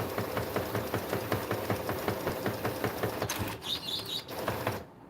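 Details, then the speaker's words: Epson EcoTank ET-8550 converted for DTF printing, during a regular head cleaning: rapid clicking about two and a half per second, then a brief thin high whistle the printer shouldn't make; abnormal whistle, cause unclear. "Yeah, the printer shouldn't make that noise. That really high whistling noise, the printer shouldn't be making that."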